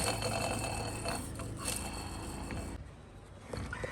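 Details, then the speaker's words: Car AC compressor removed from under the car: a gritty, uneven rattling whirr as the pulley spins freely, then fading; the noise is in the outer pulley bearing, which is replaced on its own without replacing the whole compressor. "صوت في البليه الخارجيه فدي بتتغير عادي"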